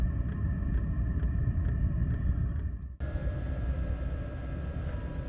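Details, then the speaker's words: Vevor "Chinasto" Chinese parking heater (5 kW unit limited to 2 kW) in a van, start-up heating cycle: hard steady fan roar, thin high tone, soft ticks about twice a second; blows hard, air not yet hot, lasts one to two minutes. Normal. "comme je vous disais sur le cycle de chauffage il y a un moment où ça va souffler fort donc là on sent bien que ça souffle c'est pas encore très chaud parce que le corps de chauffe n'est pas encore à sa température maximale"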